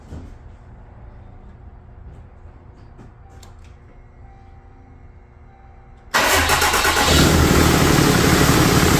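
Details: Quiet lead-in, then a 4th-gen Ram 3500 Cummins catches and settles into an even, steady idle at first start after its HE351VE VGT turbo rebuild; actuator off, assembly lube used. No odd whistles or rattles. Normal. Slight oil leak at the empty VGT sensor port.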